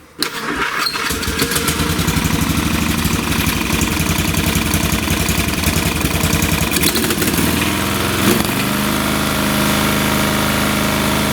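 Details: Free old (late 1980s–1990s) lawn tractor after carb cleaning and air/idle/fuel screw adjustment: cranks and catches quickly, then a steady, even single-cylinder run with no stumbling or hunting; mixture sounds right; normal running.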